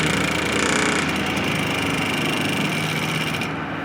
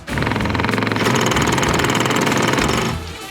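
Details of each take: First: Water pump in a Land Rover Defender overlander water system with a 15 L boiler, after the faulty internal pressure switch was dealt with: the pump whirs steadily, then cuts off cleanly as pressure builds, and the system works as designed. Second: Water pump in a Land Rover Defender overlander water system after a 15 L boiler was added: rapid chattering buzz with pulsing pressure surges and no cut-off, and the boiler's safety valve engages.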